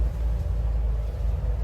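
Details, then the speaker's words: 2003 Sea Ray 360 Sundancer, port MerCruiser 8.1L Horizon 370 hp inboard (about 1,200 hours), start from the helm: fires right up, deep steady even rumble with no misses or knocks; normal idle. "Hold the key, and wham, fires right"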